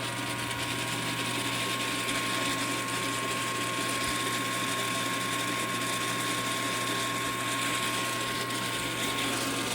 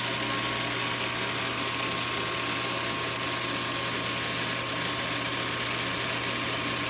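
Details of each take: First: Mechanica Cortini CNC lathe retrofitted to Mach 4: steady whirr with fast rattling chatter throughout; spindle rattle, source not yet identified. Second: Mechanica Cortini CNC lathe retrofitted to Mach 4, spindle commanded to 2000 rpm: even steady hum with clean constant high tone, no knocks or surging; normal spindle running.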